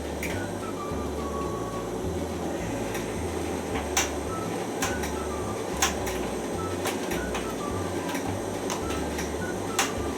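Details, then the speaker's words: AEG T59840 heat pump dryer, modified with a 900 W heat pump: low hum pulsing on and off with sharp ticks every second or two as the drum turns; rotation noise, source unclear. "problem you can hear right now is actually when the drugs going round"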